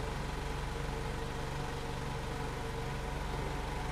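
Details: 2014 VW Jetta 2.0L with raw fuel smell, extended crank, rich exhaust and flashing check engine light: idle with uneven low thumps about three a second, cylinder 2 misfire (P0302) caused by a leaking fuel injector.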